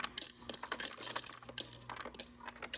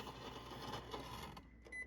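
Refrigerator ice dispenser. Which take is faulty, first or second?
second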